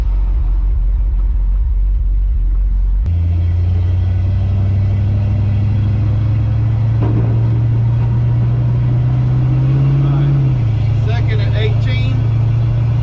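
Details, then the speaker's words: 1970 Dodge D100 after a rear end swap, driving and shifting into third at about 30–31 mph while lifting off the throttle: a deep exhaust rumble with no whine, howl or grinding from the rear axle. Owner suspects the transmission valve body. "as you can hear hopefully over the exhaust there's no whining there's no howling there's no there's no grinding nothing with it with this rear end i am very pleased very very happy with it"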